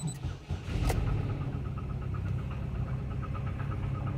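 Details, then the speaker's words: 2008 Chevy Cobalt that ran out of oil, knock sensor performance code stored, heard from inside the car with windows up: cranks, catches, then idles with a steady muffled knock that comes and goes; oil starvation knock. "um when i start it up you'll go oh okay that's probably why the knock sensor code is there because this thing definitely knocks"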